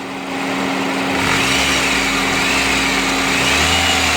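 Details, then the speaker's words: 2009 Honda Civic EX with a brand-new aftermarket AC compressor and clutch, AC blowing cold: quiet with AC off, then rough, raspy grinding from the compressor clutch once AC engages, louder as revs rise, stopping when AC is switched off. "once you hit the AC on it'll go loud I believe it because that HP clutch hit the AC on I'll spend enough you can see it's louder now"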